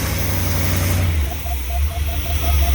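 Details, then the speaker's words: Old motorhome V8 on a road test: steady, even rumble with no stumble or surging and a faint light chirp on top; running smoothly for now, though it quits shortly after. "See, she runs good now. I'm pretty excited about this."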